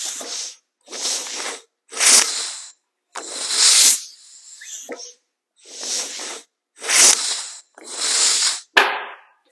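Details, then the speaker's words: Lincoln Speedster 16-valve engine, previously stuck valves freed, transmission fluid in cylinders, no starter: hand-cranked with primer cups open, sharp hissing chuffs about one a second; good compression on all cylinders. "Well, this engine definitely has compression because I had transmission fluid I'd put down all these cylinders."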